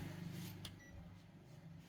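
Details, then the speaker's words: Panasonic 100V single induction cooktop reportedly plugged into 220V, powered up and drawing 4 W: a sharp click then brief high beep as the cook button is pressed over low room hum; normal button beep, cooktop still works. "bật nguồn này ô vẫ nghe tiếng tít tít gì đấy có ăn 4 w này ố vẫn bật được lên nhá các bác nhá"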